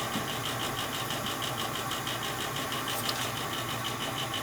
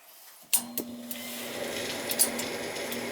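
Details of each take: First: Old gas furnace that the owner says makes loud, fluctuating noises at night: steady motor hum with a fast, loose rattle about twice a second from the draft inducer motor up top; technician suggests lubricating or oiling it. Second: Same old Bryant gas furnace after the motor was oiled: a few clicks, then a low, even hum with no squeal or grinding; much quieter, a temporary fix. The fan was checked and is not the cause. Normal inducer motor running.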